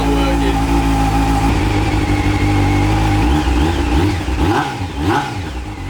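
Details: Honda CBR600, cold start with choke on, before the repair: revs rise but the note sags, wavers and stumbles instead of pulling cleanly. It bogs under throttle, which the owner blames on the carburettor inlet rubbers.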